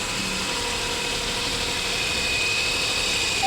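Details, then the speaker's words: Renault Kwid three-cylinder after an engine overhaul with new piston rings for misfire, low pickup and low mileage: light, steady hum with a faint even pulse and no misses or back pressure, settling into a smooth idle. "देख सकते हैं finally हमारी गाड़ी हो गई है start और कोई बैक कंप्रेसर नहीं [संगीत] है"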